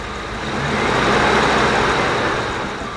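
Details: 1994 Dodge Dakota after rounds of cleaner to fix rough revving; steady, even idle with no stumbles or misses, a smooth settled rhythm that sounds healthy.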